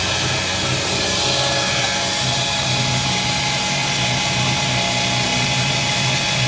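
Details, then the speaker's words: 1989 Ford Mustang GT V8 (modified, not stock) cranked with coil and fuel injectors disconnected to check valve train: steady, even starter whir, no clunks or binding; engine turns over freely, oil reaching top of engine. "All right. Tell you what, the engine turns over great. She sounds good."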